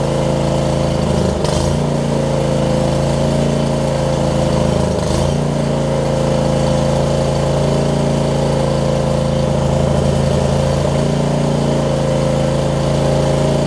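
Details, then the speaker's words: John Deere LX279 riding mower, liquid-cooled engine, just started after cranking with an empty carb bowl: rough at first, now a steady, even beat with no misses or surging; runs normally, hours unknown. "All right. Didn't like it when we first cranked it up. Wow, cranked it up, but seems like it's getting better. It might just be a characteristic of this liquid-cooled engine too."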